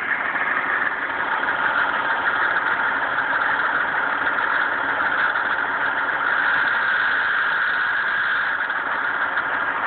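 Steady raspy grinding over an even idle, constant pitch with no clear rhythm; a grinding noise at cold idle, source not yet pinned down.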